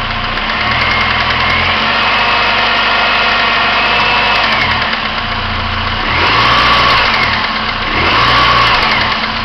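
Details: 1999 Pontiac Grand Am SE, warm idle: dull uneven knock under engine note swelling with small revs, absent when cold, reportedly fading at higher rpm; owner unsure whether timing chain or rod.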